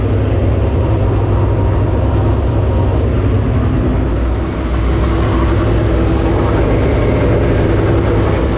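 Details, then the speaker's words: Super Late Model racing engine during an engine-problem hunt before the HTF finale, running warm at operating temperature: a deep, steady, even V8 rumble with no miss or knock; no leaks; judged healthy, good to go. "hey sounds good good old pressure no leaks 6 pound talking about yeah at temperature good to go"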